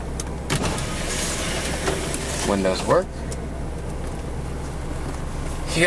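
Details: One-owner 1993 Chevrolet Corvette C4 coupe, 350 LT1, idling quietly: brief electric motor hum from the power window, smooth with no grinding or stalling; windows work normally.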